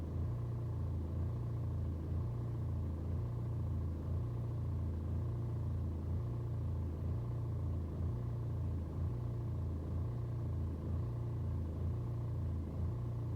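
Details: BMW 120d with N47 diesel, cold start: low idle rises and dips about once a second in an even surge for over 2 minutes; rough cold idle, absent on warm restart, scanner shows no helpful codes, cause not found.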